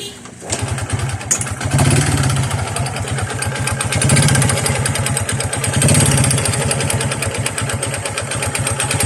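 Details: Honda XRM 125 motorcycle, kick-started and idling with a deep choppy helicopter-like knock, a mix of connecting rod knock and piston slap; connecting rod confirmed faulty, to be replaced with new rod and side bearings.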